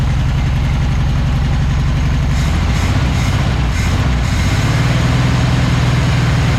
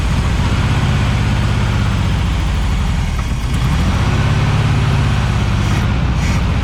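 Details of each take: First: 1976 Volkswagen Beetle with '40 Ford kit, sat for years, running on its carburetor after the fuel pump sucking air was fixed; steady, even low idle with no misses, stumbles or knocks, normal idle. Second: 1976 Volkswagen Beetle with '40 Ford kit, sat for years, cranking while fuel pump isn't pumping gas to the carburetor; starter churns at an even, heavy rhythm but never fires: crank no start from fuel starvation.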